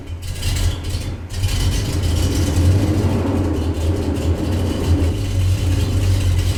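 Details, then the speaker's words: 1974 Corvette 454 V8, first start after winter storage since mid-October: fires right up but runs rough with a lumpy, loping, uneven idle; owner thought carburetors dry from sitting, but badly fouled spark plugs were found causing it. "She's not super happy, but man, I'll take it. She fired right up. Carburetors might be a little dry from the sitting, but not bad."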